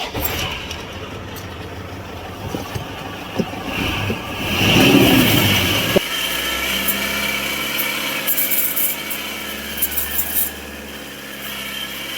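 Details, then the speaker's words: Toyota Hilux idling before repair: scraping, rubbing rasp over a high whirr; noise disappears with belt removed, traced to alternator pulley side, loose alternator fan rubbing its housing. "Pagka ganitong senaryo mga bossing, tanggalin nyo yung belt tapos pandarin nyo yung makina at nawala yung ingay, ibig sabihin sa pulley or sa external lang yung problema."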